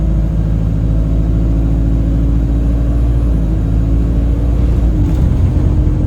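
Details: Alexander Dennis Enviro 200 E20D bus running: a whistle turning into a steady horn-like drone over the diesel rumble, shifting slightly with speed, much louder toward the front; owner suspects the gearbox, and the bus felt sluggish.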